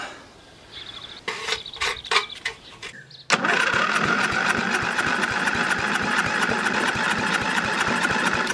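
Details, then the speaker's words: Briggs & Stratton 13 hp battery-start heavy-duty scrub mower, unrun for years, after cleaning a rusty, watery fuel bowl and adding fresh fuel: cranks, catches, settles into a steady single-cylinder beat with exhaust rasp, loose muffler; normal running. "oh wow guys sounds okay actually"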